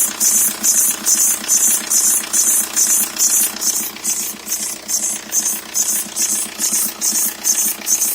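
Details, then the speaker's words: 2003 Jetta ALH TDI idling with the top timing belt cover removed: sharp, high oscillating squeak about twice a second over a quiet diesel idle; owner suspects the timing belt, not the serpentine belt, source unconfirmed. "the point in this video was to get people to hear that sound so if anyone has a heads up on on on what they've experienced with that sound wear the belts making that oscillating squeaking sound and post a comment"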